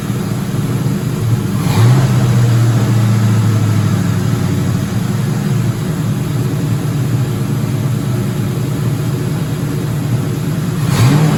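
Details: 2004 Ford Mustang GT 4.6 V8 being revived, first run with no coolant; steady low hum with a quick rev blip, idle a touch fast, no rattle or ticking; normal idle.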